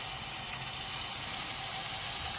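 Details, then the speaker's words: 2006 Ford 6.0L Powerstroke, 139,000 miles, crank no-start: high-pressure oil rail air-checked at almost 120 psi with valve covers off. Steady hiss of escaping air on one side only; standpipe suspected bad. "so the fact that you can hear it on this side and not the other side tells me that most likely we have this standpipe here is probably bad"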